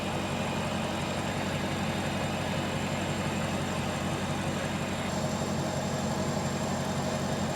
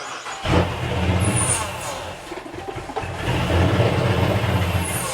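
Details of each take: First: 2020 Dodge Charger Pursuit AWD with Hellcat-supercharged 5.7L V8 swap, running untuned before going to tuner: deep, steady loping V8 idle, no knocks or misses; runs fairly good though data shows it's not happy. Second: 2020 Dodge Charger Pursuit AWD 5.7L V8 with a Hellcat supercharger swap, first start attempts: long crank, brief catch and surge, then stumbles and won't idle; flooding suspected, throttle position and barometric pressure codes stored.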